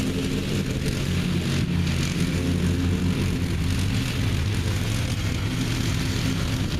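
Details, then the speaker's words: Revived neglected riding mower after repairs and a new belt, running steadily while cutting: low even engine drone with blade whir, no misses or knocks; it mows evenly and runs well. "but it seems to be running good and mowing good it mows evenly I'm glad to see that the last one didn't"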